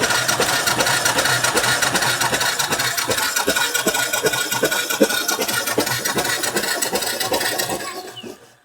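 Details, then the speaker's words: 2013 Royal Enfield Classic 500 EFI single, cold idle viewed through the pushrod inspection panel: even, quick mechanical ticking at about two and a half beats a second, pumping oil, with no knocking or pinging. "Okay, so that's definitely pumping oil while it's cold. But everything sounds silent, like there's no knocking, there's no pinging."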